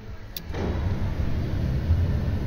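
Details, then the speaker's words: VW Up, terminal 75 relay not switching, blower fan powered by jumping straight to the back of the ignition switch: steady even rush of air without flutter; blower running normally, ignition switch suspected faulty. "hear the vents going so that's put me putting power straight through there straight on the back of the ignition switch"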